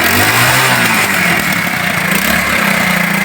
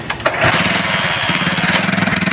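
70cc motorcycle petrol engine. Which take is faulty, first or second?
second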